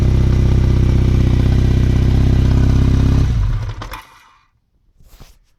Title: KZ750 Engine Noise When Cold